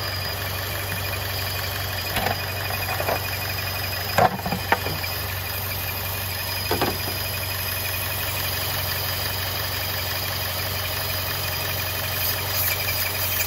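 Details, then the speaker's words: 2014 Chevrolet Cruze 1.4L with a failed PCV valve, before installing a PCV kit, with intake airflow and oxygen sensor codes just cleared. The engine struggles at a rough, uneven idle with a hissy background and occasional sharp knocks. "i mean the engine is struggling and as you can hear the noise"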